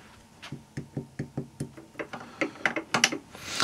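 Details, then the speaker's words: Simson M500 engine (Schwalbe), rebuilt a while ago and little run, with stronger clutch pressure spring making the clutch heavy: sharp, uneven dry clicks about one and a half a second as the clutch is worked by hand; aftermarket clutch diaphragm spring suspected of clicking. "ja das auch die tellerfede fängt jetzt schon an zu knacken das ist auch immer so ein Problem bei den Nachbau Teller Fehlern"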